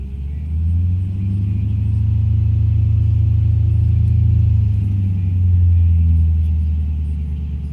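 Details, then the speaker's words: Petrol engine restarted after sitting a few minutes following stop-and-go city driving: rough, shaking idle surging and sagging, nearly stalling when given gas, exhaust smells bad; owner suspects misfire, possibly fuel, fuel pump audible, later smooths out. "Nope, trying to stall. It just sounds like shit. It's not smooth."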